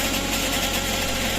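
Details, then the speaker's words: Suzuki DA64 automatic (K6A engine), mic under the vehicle at idle: rough, buzzing rattle like something catching or a bad bearing; source underneath unconfirmed, starter checked, ATF and filter change planned. "Parang may sumasabit sa ilalim or sirang bearing na tunog."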